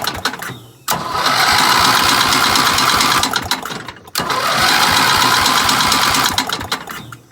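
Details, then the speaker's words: 1975 Gravely 816S tractor engine run on ether after cleaning the head and retightening head bolts; two bursts of running with a loose, irregular metallic clank, owner fears a rod, cause undiagnosed, fading as it stalls. "I DON'T know what that clank is, but that ain't cool, man. That is so weird. I got to diagnose that clank because sounds like something's about to blow like the rod or something."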